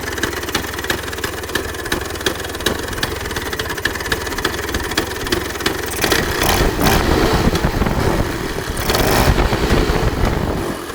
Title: 1966 Vespa Sprint engine start after rebuild